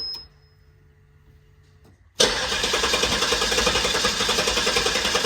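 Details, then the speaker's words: Guanci SSJ mid-engine V8 prototype, half tank shown: steady fast cranking churn about three and a half beats a second that never catches; long crank, no start, suspected lack of fuel prime/pressure. "I don't think the fuel's get new yet yeah see I think it needs to Prime I think it need to build fuel pressure"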